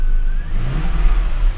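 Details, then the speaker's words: Lexus GS400 after repair of the ECM, where a likely damaged transistor had stopped the throttle body responding: a short clean throttle blip, the engine note rising and falling smoothly with no stumble or hesitation. The throttle now responds normally. "how lovely is that alright so there you'll that was our fixed"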